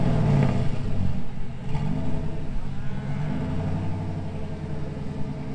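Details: 2000 GMC Sierra 5.3 V8 with Texas Speed Stage 3 truck cam (.550/.550, 216/220, 112 LSA) on factory tune: deep lumpy rumble sags and hunts in gear, needing throttle to keep running. Owner's own tune fixes the stalling.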